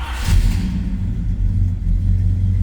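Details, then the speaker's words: 1966 Chevrolet Chevelle SS 396 big-block V8, 4-speed manual, just fired up: brief flare then a deep, even, throaty rumble with no ticks or knocks; normal healthy idle after start. "I told you it was a good sounding car. A little rumble coming out of that big block. Nice, deep, throaty exhaust note."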